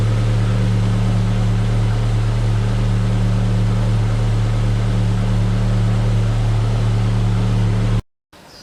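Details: Car idling after the faulty alternator was removed and refitted: steady, even low drone with no knocks or squeals, running smoothly until it is shut off.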